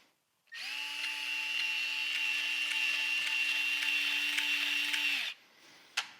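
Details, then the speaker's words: New Milwaukee cordless sub-compact band saw with full battery, run with the cover open: steady motor whine with a faint scratch about three times a second, seemingly from one band wheel rubbing, cause unconfirmed. Scratching noise. "there's some some scratching it sounds like it's coming from this wheel here"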